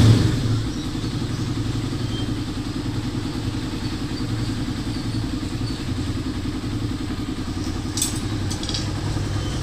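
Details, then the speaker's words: Motorcycle engine running evenly with a steady low beat and no knocking or ticking after a noisy-engine repair: new timing chain and guide, shim, tensioner reset. "so pagkatapos magpalit ng timing chain with guide magr shim magreset ng tensioner umok na ung motor ni boss no"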